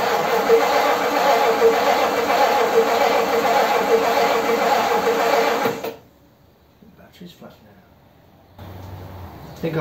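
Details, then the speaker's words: 1957 Ford Thunderbird with its original carburetor float bowl and metering plate refitted, cranked after confirming spark. The starter churns steadily at about 160 beats a minute for six seconds with no firing; unsure whether it is short of fuel or flooded, battery put on charge. "don't know if it wants fuel or has got has had too much fuel I'm going to put the battery on charge and leave it it's not going to go is it"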